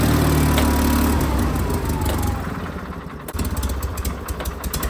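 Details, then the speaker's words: John Deere 316 tractor, throttle moved from turtle to rabbit (full throttle): engine pops along at a low, lazy speed and never climbs to full rpm; throttle cable sleeve keeps slipping through its crimp, limiting revs. "No good. This is full power right here. That's not gonna work for me."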